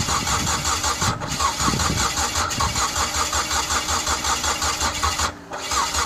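Steady starter cranking at about two and a half beats per second that never catches; the engine's timing is out, so it won't fire.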